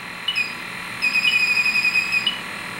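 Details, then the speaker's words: Testo 316-3 refrigerant leak detector on an R410A HFC reference leak: high shrill beeping quickens into rapid chirps, detecting the HFC about a quarter inch away without nuisance tripping. "picks it up so on the hfc about a qu inch and it's not nuisance tripping at all"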